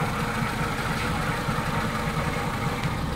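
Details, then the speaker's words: Honda City Type Z after repairing oil leaks at valve cover gasket, distributor O-ring and oil seal: steady, even, quiet idle with a soft low hum, no ticking, knocking or leaks; engine runs healthy. "ayan mga boss, tahimik na po yung ating ginawang Honda City."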